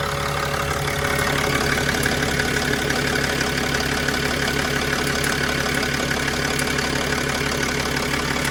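Steady diesel idle with a sharp, regular tick, roughly three per second, keeping time with the engine. Source not yet pinned down.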